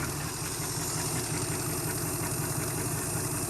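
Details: 1971 Chrysler eight-door airport car, epoxy block repair, running with no coolant and warming up, no leaks: steady, even idle with a smooth low rumble and no knocks or misses; engine running cleanly.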